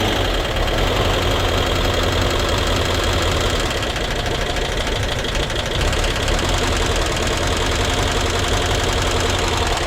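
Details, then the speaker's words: VW Vanagon Westfalia air-cooled engine, surprise first start during rebuild: rough, uneven tapping over a low idle rumble with no steady rhythm, a little smoke; engine knocking, owner suspects oil not yet up to filters and oil pressure regulator wrong, hookup uncertain. "It sounds like it still needs some oil up on those filters, huh? So that oil pressure regulator is probably not right, huh?"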